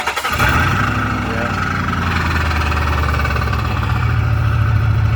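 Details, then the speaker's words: Car just back on the road after a transmission swap, new exhaust pipe fitted with exhaust bolts to the headers not fully tightened; engine catches and settles to a loud, rough idle with raspy puffing: exhaust leak at the headers. "definitely a little Rowdy exhaust bols up to the headers at it needs to be tightened down all the way they're not all the way tight"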